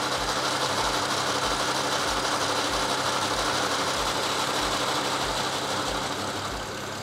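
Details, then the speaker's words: 2008 BMW 335i N54, automatic, Spool Helix 4x HPFP overdrive kit with ~4,000 miles, first cold start after repair: busy metallic clatter from pump step-up gear drive, disappearing completely once fully warm. "you can hear a little bit of gearbox clatter right here it would seem pretty pronounced but it actually goes away completely when the car is fully warmed up"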